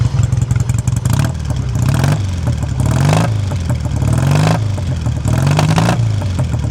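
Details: 1959 BSA A7SS Shooting Star 500cc twin: steady, even twin-cylinder idle with a low throb and occasional light throttle blips; no tapping or knocking, engine sounds healthy.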